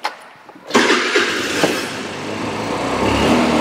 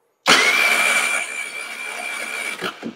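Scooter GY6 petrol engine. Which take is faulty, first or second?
second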